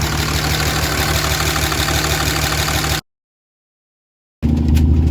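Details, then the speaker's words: Diesel truck engine running on five cylinders after the number three injector, stuck open and smoking, was unplugged; low idle with a slightly uneven lope. Kill test done, smoke stopped, injectors reportedly brand new. "so I unplugged the injector no more smoke I did the kill test it sucks running on 5 cylinders but like Jesus like there's nothing I can really do about it"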